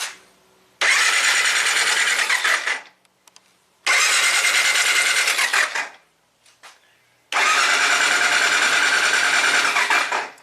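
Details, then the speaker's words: 1999 Triumph Trophy 1200, non-runner for a year after running rich and stalling, new plugs: three roughly two-second bursts of fast starter cranking with oscilloscope on coils, never fires; no spark, cleaner waveform about 3 V peak to peak, cause unconfirmed. "no spark. Let's take a look at the pattern. So much cleaner waveform. This is not what I expected. I expected this thing to start sparking the coils."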